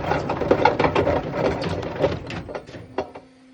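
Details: Loud, uneven clattering and knocking from the spinning drum of a Bush WMDF612 washer with bad bearings, run in service mode with two wet towels, fading as it winds down.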